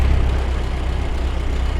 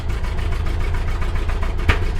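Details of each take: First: Bone-stock 1929 Ford Model A coupe, 40 hp four-cylinder, just fired up in neutral with a little timing advance: low, steady, even idle with strong fan wind, no misses or knocks. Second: Stock 1929 Ford Model A coupe, 40 hp four-cylinder, long-sat, first start on old gas with choke and hand throttle after sanding the plug wire straps: lumpy uneven beat with sharp pops, smoking; misfiring and backfiring.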